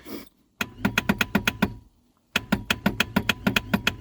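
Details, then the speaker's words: Reliant Rialto pickup on its first start attempt in a decade: two bursts of starter clicks, about seven a second, with no cranking and no fire. The owner suspects a seized inertia starter head not engaging the flywheel and plans to remove the starter. "So I think that's an inertia starter, and I think the head of it is seized so it's not flying in when to grab the flywheel."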